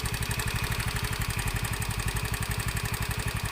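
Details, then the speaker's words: Honda Beat FI scooter idling with fuel pump bypassed, fuel fed from an infusion bottle pressurized by hand pump, testing suspected weak fuel pump causing misfire and stalling; steady, even exhaust pulse, no misses or stumbles, normal idle. "dan sekali lagi ini tidak menggunakan selvam kabel dalam kondisi pelepah dan tekanan bahan bakar disuplai oleh infus yang kita berikan tekanan udara melalui pompa tangan OK"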